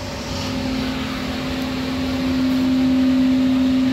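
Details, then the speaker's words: Furnace blower in a first-floor AC unit that began making noise after a power outage; the technician is unsure whether something is stuck; a steady, high-pitched hum over the airflow. "all right it just turned on I do hear it I'm not sure something stuck in unit"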